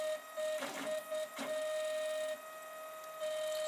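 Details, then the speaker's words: Protomaker Black Sprint FDM 3D printer, bought for spares or repairs, running a dry test print without plastic: steady high stepper whine around 600 Hz with short buzzing axis moves and pauses, quick moves to home position; normal stepper motion. "can see that moves pretty quickly there when it Wass done yeah and then it's going to it home position"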